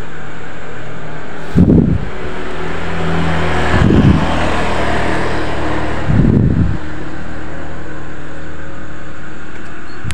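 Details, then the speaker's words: Honda Vario 125 scooter that died with a silent fuel pump and lost ignition; test with the key on and the pump plugged into a test injector: a steady low hum with deeper swells about every two seconds. The fuel pump now hums and primes normally, and the injector sprays. "Oke untuk P pumnya sudah bisa denggung ya padahal ini cuman kita colokin untuk injektor sekedar ngetes saja ya guys ya"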